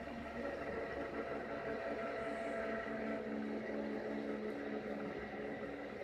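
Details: Rebalanced rotor drum cylinders with center bearing, motor on a table on rubber feet, previous rotor vibrated badly: quiet, even whir, steady pitch, no thumping or wobble beat, no vibration felt by hand; smooth balanced rotation.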